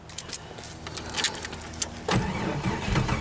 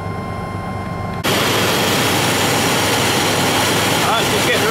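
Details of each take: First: Cold morning start attempt with a weak battery: sluggish, uneven cranking with a few irregular turns and clatter, no catch. The battery is too weak to crank fast enough for spark. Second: Truck on a frosty morning colder than minus 9, started after a 3-hour battery charge: engine catches and settles into a loud, steady run with no misses or knocks. It runs normally, charging almost 15 volts.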